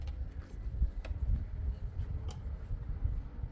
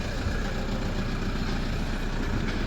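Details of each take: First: Diesel engine right after a fuel filter change and priming the system: steady, even cranking with no firing or catch, sounding like it has no compression; long crank, no start. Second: Toyota Hilux diesel after fuel filter change and priming out air: steady low rumble at idle, even and unbroken, no misses or knocks; normal idle after starting with the right key.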